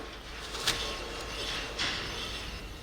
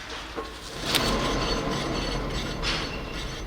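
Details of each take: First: 2005 Scion tC, 169,000 miles, driver front wheel spun by hand with microphone close: quiet apart from light brake-pad swishes; no hum or growl, wheel bearing normal. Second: 2005 Scion tC, 169,000 miles, front passenger wheel spun by hand: rough grinding hum with light brake pad scraping over it, causing cabin noise when driving; worn front wheel bearing, to be replaced.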